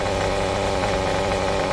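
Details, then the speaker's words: Kyosho MP9 nitro buggy with its standard, somewhat worn engine, during tuning: steady, even, high-pitched tick-over with no misses or surging; running well at idle. "she's running well. What more could you ask for?"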